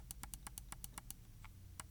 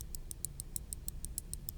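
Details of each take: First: Logitech G604 wireless mouse left button after replacing the double-clicking OMRON switch with a Kailh 80M switch, click test: crisp single clicks about four a second, one short pause, no doubled or chattering clicks; normal click. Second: Logitech G604 wireless mouse, opened, before repair: left button's original OMRON switch clicked, double-clicks about 10% of the time, crisp clicks about six a second with slightly off, varying tone versus the right button; worn mouse switch.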